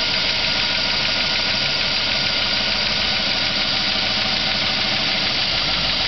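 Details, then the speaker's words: 2008 Avalanche V8 on cold start at about 15° garage temperature: steady fast ticking knock over a hissy background, seemingly loudest under the wheel well; cold-start knock, cause not pinned down. "start and it is making [Music] uh the noise maybe not quite as bad as it has in the past but it's still knocking seems to be worse"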